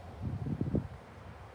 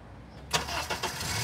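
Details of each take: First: Honda engine, baseline start with crank and cam sensors connected: brief quick crank, catches at once and settles into a steady, even idle with no misses or knocks; normal start. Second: Honda engine cranked with the crank sensor signal removed, running on cam sensor backup: starter whirs about half a second, roughly 261 ms measured, before the engine catches and settles to idle; extended crank.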